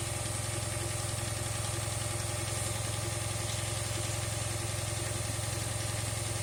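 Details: 2008 Dodge Charger AWD at idle with steady fast light ticking/clicking over engine note; vacuum leak persists after a tube seal was fitted, gasket possibly wrong; cause of ticking unknown.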